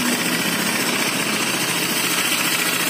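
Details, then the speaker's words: Honda Vario FI 125 (Techno, injected) with a rough, busy idle and a steady hiss as radiator coolant spurts upward. Compression is leaking into the cooling system from worn piston rings and cylinder block. "menyemburnya ini ke atas itu ada pernah bosan kompresi tekanan kompresi tekanan kompresi yang dari piton itu naik ke sini anginnya naik ke sini"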